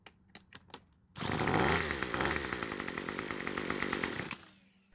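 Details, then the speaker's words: Craftsman two-stroke trimmer, pull rope gives no start: with the electric starter held on the back of the engine it buzzes into life for about three seconds, then dies; it won't keep running by itself, cause not yet confirmed. "so it starts and runs while the starter is on the back of the engine which is what it was doing before"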